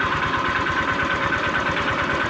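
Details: Honda Vario 125 scooter, owner suspects worn connecting rod; idle on fresh 20W-50 before oil treatment added, fast regular light knock once per firing, steady pace; knocking at idle, cause suspected not confirmed.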